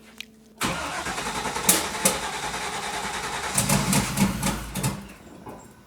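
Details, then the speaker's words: Turbo LS1 Z28 Camaro (VSR 7875 turbo), new ECU, start while street tuning with the turbo spooling. It runs lumpy and uneven, surging, sagging and sputtering, barely holding idle; it just needs more fuel added to the tune. "Yep, just needs more fuel. Getting there."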